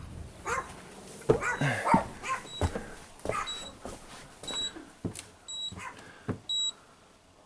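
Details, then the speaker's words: Coronado motorhome refrigerator with replacement control board, on propane: igniter clicks but it fails to light, then short high beeps repeat in evenly spaced bursts, display showing "no FL" (no flame) fault; dog barking behind. "But when it beeps, it says there's a problem. It says no FL."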